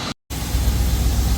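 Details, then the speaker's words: 1980 Chevrolet Scottsdale V8 pickup parked 26 years, idling about 10-15 minutes, no smoke: steady deep rumble with even low pulses after brief dropout, belts not squeaking. Finding: normal idle. "But other than that though, sounding super good. Belts aren't squeaking, nothing."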